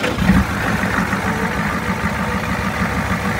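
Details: 1989 Ford F-350 7.3 diesel after the owner replaced parts that were causing a tick: a steady, low, even idle clatter with no sharp tick on top; the truck had earlier overheated and had starting trouble; normal idle.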